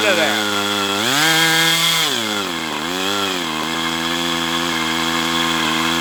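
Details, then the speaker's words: Brat 28 model glow engine with prop, needle leaned out: abnormal whirring, high buzzy tone climbing and dipping with revs; bubbles under glow plug head, dark oil suggesting exhaust leak, possibly loose muffler; owner wonders about hydrolock, cause unknown. "Okay, so I got numerous issues here. I'm hearing a whirring sound."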